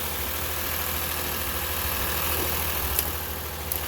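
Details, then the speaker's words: 2006 Lexus IS250 V6 idling at first start after timing chain and water pump replacement; the earlier rattle is gone, but a low, uneven bubbling and burping with occasional stumble suggests a slight misfire; owner wonders about spark plugs. "she's got a little bit of a misfire happening I don't know if I need to change spark plugs or what see how bubbling and burping"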